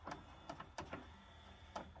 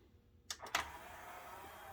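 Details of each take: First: Yamaha CDC-755 five-disc CD changer: small tray motor whirs under scattered clicks but the tray won't come out unassisted. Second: Yamaha CDC-755 five-disc CD changer whose tray would not come out, after repair, pressing open/close: two quick clicks then a quiet, even motor whir as the tray slides out smoothly; the repair may not last like the original but works properly.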